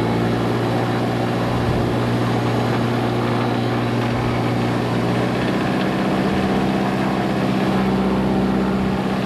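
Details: Lycoming fuel-injected Mooney M20J after a restart while hot, using mixture as throttle: smooth, steady idle around 650–750 rpm with leaned mixture, no stumbles. Normal idle.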